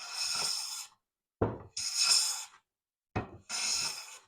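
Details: Hand plane finishing a board after chip breaker and blade were adjusted for an even cut on both sides. Three steady, hissing strokes with soft knocks between give a full, even shaving cut.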